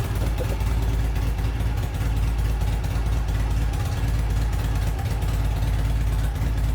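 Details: 1972 Norton twin motorcycle, low steady thumping idle with even beat and no misses or knocks, just after kick-starting on the third or fourth kick; running cleanly.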